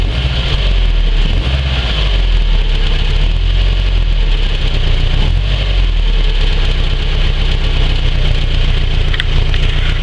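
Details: 2004 Subaru Forester XT running with a fast, even ticking over the drone, from the stock up-pipe's catalytic converter breaking apart; the noise went away after fitting a catless up-pipe.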